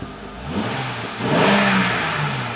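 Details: Honda Pilot after failed fuel injector replaced, first real start, codes cleared, possible air in rail: engine picks up smoothly on a blip and settles back cleanly, even note, no miss, tick or stumble.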